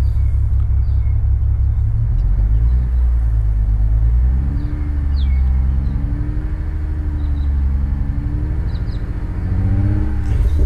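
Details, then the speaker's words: BMW E92 335i, N54 engine with 17T hybrid turbos, microphone at the exhaust. Uneven, lumpy idle that sounds like five cylinders; it revs smoothly but runs rough. No codes or dash warnings; the owner suspects a misfire or a cylinder low on compression, unconfirmed. "basically it's got a it's got a rough idle or a it's a misfire in my opinion"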